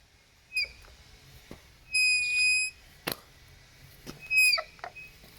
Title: Kukirin g3 Pro front brake noise